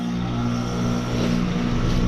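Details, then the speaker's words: Trane heat pump running after replacing a bad contactor: compressor drawing 8.2 amps; steady low compressor hum with fan whoosh, no clicks, chatter or buzzing, running normally. "Oh yeah. Sounds good here. There we go. 8.2 amps."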